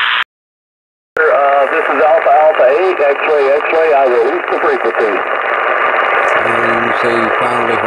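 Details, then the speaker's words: Yaesu FT-747 after repair of a no-receive-on-any-band fault, tuning SSB then CW. Steady hiss and crackle of heavy band noise with clear Morse tones; very weak station, bands terrible. Receiver working, noise from the band; normal reception. "So now let's see if we can tune in a single sideband station. The bands are really terrible today too, and it's very noisy here also. Very weak station back there."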